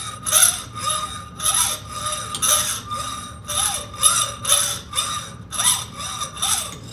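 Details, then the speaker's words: Hacksaw cutting metal stock by hand: slow rhythmic rasping strokes about every second with bright ringing scrape, pitch dropping lower as less surface remains near the end of the cut. "listen to the tone change from a high pitch and it will start getting a lower pitch [Music] it's getting lower pitched because there's less surface area now and that's a good signal to let me know i'm getting close to getting through"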